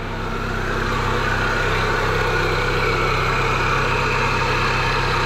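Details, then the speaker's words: 2002 Pontiac Sunfire off the road since 2011, 113,000 miles, at idle: steady idle with a loud clattering rattle about four per second, source unclear. Owner hopes it goes away once warmed up. "i'll take it something is making some god-awful racket it's hard to tell"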